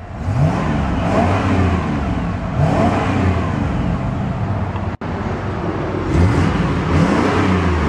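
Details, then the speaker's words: 1994 GMC Vandura G2500 conversion van: deep, smooth engine note climbs cleanly with each throttle blip and settles back evenly; healthy engine, normal revving. "So let's go ahead and see how she sounds. These engines sound fantastic."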